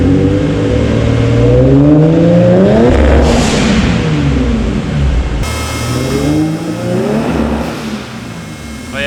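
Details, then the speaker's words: Nissan 350Z with a home-built twin-turbo setup, rev limit set to 5,000 rpm: pulling hard in second gear to about 140, hitting the limiter twice, with a rising turbo rush and what sounds like a blow-off valve from the back; making boost now. "got to 140 there it sounds way different don't of you guys can hear it second gear it sounds mad I think it's just a blower F looking it it sounds like it's coming from like back"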